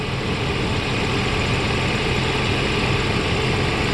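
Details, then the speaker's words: 1994 Mercedes SL600 V12 just started, in limp mode with ASR, SRS and check-engine lights, low RPM but oil pressure present: a steady, deep but lumpy, uneven idle drone. It sounds like it's running on 6 cylinders. "So yeah, very bizarre situation, because yeah, it sounds like it's running on 6."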